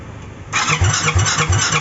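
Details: SYM Maxsym 400i crank-no-start with spark present: the starter spins the engine with even chugs about three per second, but it never catches or picks up speed; cause suspected, not confirmed.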